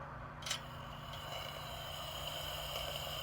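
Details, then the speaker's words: Coleman liquid-fuel lantern after pumping to prime and opening the control valve: steady soft high hiss with an even tone as fuel flows up to the mantles; normal fuel hiss. "You hear a hissing sound. That's the gas. That's the gas being brought up to the mantles."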